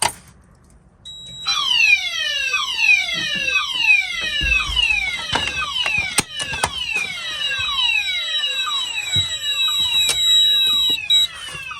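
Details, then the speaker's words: Monthly test of a Cyton CB1 conventional fire alarm panel in full alarm with DIN tone and added coding; falling sweep tones about three a second, chopped into on-off bursts by the coding relay, so sounders and coding work. "You can hear the coding relay. Works. Device in here works."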